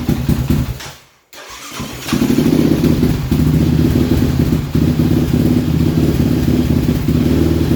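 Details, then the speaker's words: Single cylinder: idle cuts out, restarts, then rises and dips unevenly as the wire harness is pushed, with erratic RPM readings; harness damaged down to a few strands. "Alright, so you can see sometimes it would die, sometimes you could, as I was pushing on that harness, you can hear the idle go up and down, and on the RPM screen you can see that jumping around, very, very erratic and with irrational numbers."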